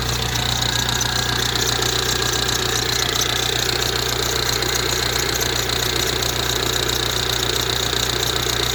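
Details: Ford Transit Connect diesel, hot, just after a jump-pack start: steady, fairly regular tap about two and a half per second over the idle clatter; horrible knocking whose source is not pinned down.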